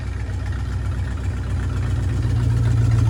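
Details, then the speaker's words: 1968 Ford Torino V8, first drive after sitting 20 years in a barn: fires and settles into a steady but noticeably fast idle with an even low rumble and no misses; idling a little high, carburetor needs adjusting. "Sounds like it's idling a little high. I need to adjust the carburetor."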